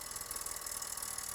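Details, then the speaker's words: 2004-2009 Toyota Prius front brake bleed after caliper replacement: assistant pushes pedal about an inch, bleeder open; steady even high-pitched ABS pump buzz, running normally while air comes out. "Now we're going to have our assistant push on the pedal just 1 inch, and you're going to hear the ABS pump running."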